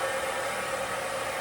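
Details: Replacement bench grinder after the old one burned out: steady, even whir with constant mid-pitched tone, no knocks or wobble; spinning smoothly, normal running.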